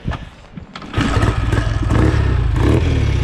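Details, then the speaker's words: Rebuilt BSA A65 Lightning twin with fuel filters, tickled and kick started: catches on the first kick and settles into an even, lively beat with crisp exhaust; healthy start. "look at that. First kick. I'm not sure if the engine's good or not. It's got a beautiful sound. Oh, it's lovely."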